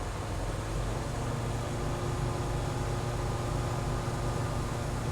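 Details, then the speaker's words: Truck air system during a pre-trip inspection, building from 80 to 100 psi in about 15 seconds; governor cut-out expected around 120 psi. Steady, even low drone with no knocks, hiss or rattles. Normal pressure build-up. "we're right at 80. Let's see, in 45 seconds it's gonna reach 100. 2, 3, 4, 5, 6, 7, 8, 9, 10, 11, 12. So it took around 15 seconds to reach 100 psi."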